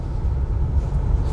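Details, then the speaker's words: BMW X5 after a full suspension overhaul, including ball joints, road test: low, even road rumble with no clunks or thumps over bumps; the earlier knock came from a worn ball joint, now quiet and smooth. "ऐसा कोई आवाज नहीं है इसमें वो आवाज जो था वो बॉल जॉइंट का था जो कि हमने आपको वीडियो में भी बताया"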